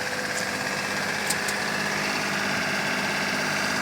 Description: This cub cadet w/ yanmar diesel engine has a messed up transmission.